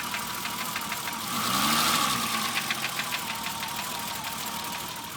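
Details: BMW E30 petrol engine idling with a sharp, regular tap of three to four knocks a second; three shops could not identify it, and the owner suspects rod knock, piston slap or bearings, unconfirmed, before fitting a new engine.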